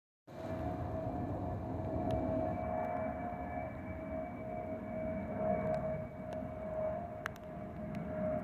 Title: (Final FOPP of 2024) Delta Airlines Airbus A319-114 N316NB DL645 MEX-DTW FOPP Whistling Sound)